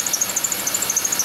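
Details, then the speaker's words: Chevy Venture van, engine running: quick repeating high chirp about a dozen per second over faint engine hum; owner suspects the idler pulley directly below the air pump pulley, confirmed when WD-40 on it stops the noise; dry bearing worsening over a week. "but judging from where the sounds coming from I think it's the idler pulley directly below this air pump pulley right here"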